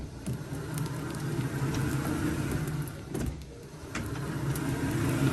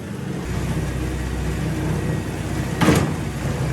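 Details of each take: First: StairMaster StepMill (916/7000PT type) after chain realignment and tensioning to cure skipping, clunking steps, turned by foot unpowered with no weight: even whirring that swells and eases gently, no clunks or skips. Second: StairMaster StepMill (916/7000PT type) run at uncomfortable speed with full body weight: steady low motor drone broken by a sharp clunk as the steps skip, drive chain jumping a sprocket tooth.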